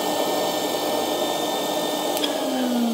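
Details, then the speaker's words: IONTO-PEDO FS1 nail-salon rotary tool (Dremel-like) with built-in dust-collector vacuum: loud steady whoosh with a thin high whine, louder than a regular Dremel through its large hose; normal running. "But as you can hear, it's much louder than regular Dremel, and that hose that is interconnecting our head with the device, it's much larger."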